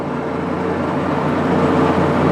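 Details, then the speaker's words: 80-year-old Axelson lathe with needle bearings and heavy wide gears, clutch engaged, in low range at 308 RPM while oiling up: steady, even gear roar with a constant low hum, no knocks or grinding; normal running. "I'll pull the clutch handle. Hang on. Now we're in low range, running 308 RPM."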